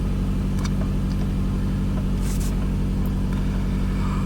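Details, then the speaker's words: 2005 Toyota Camry after throttle body cleaning for a rough idle: a steady, fast, slightly uneven idle with no knocks, about 1500 rpm and high, later falling toward 1300–1400 rpm; check engine light gone. "okay i calmed her down suppose that woke it up seems like it's idling a little high see if that comes down by itself"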